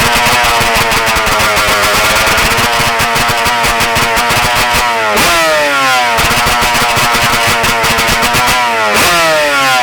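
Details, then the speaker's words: Two-stroke engine revved after carburetor needle turned half a turn richer: screams at high revs, holds and creeps up before dropping off throttle, still running away slightly lean. "It's close, but you hear it still running away a little bit."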